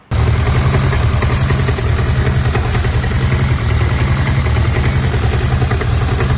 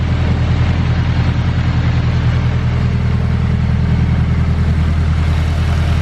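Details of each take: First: Honda Civic petrol engine idling with a deep, steady knock like rod knock, seemingly from the timing chain side (tensioner swap didn't help); cause: overlong alternator bolt bottoming out, leaving the alternator loose and rattling; fixed with a spacer. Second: Honda Civic bought as having "rod knock" but running smoothly at idle: a low, even pulse with no knock or tapping. Its Garrett dual ball-bearing turbo has blown seals, leaks oil and smokes heavily.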